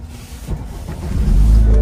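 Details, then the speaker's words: 2014 BMW twin-turbo with 114,000 miles at a salvage auction yard: short crank, then catches into a steady, even rumble with no knocks or misses; healthy start. "yeah yeah sounds healthy not bad 114,000 Mi on it"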